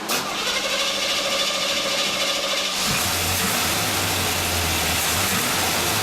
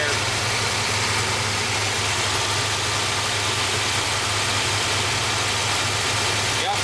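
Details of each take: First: Engine starts and idles evenly after exhaust reassembled and heat riser patched; exhaust puffing much quieter, leak largely sealed though not completely eliminable. "Sounds a lot better." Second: okay can you hear me over a check here you can see that sucking it right through he's got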